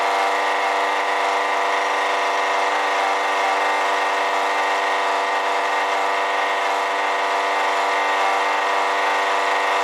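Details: Honda EB1500x generator running: loud, even whirring whine over the engine note that gets louder when load is applied to the alternator; owner suspects a bad alternator bearing, not confirmed.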